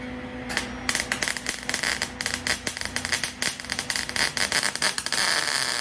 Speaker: So if you noticed, if that sound came through on the video, what happened when it was popping, there's just these blobs sitting on top of the surface. Actually a couple of it. What happens when you have a longer stick out is the voltage power drops.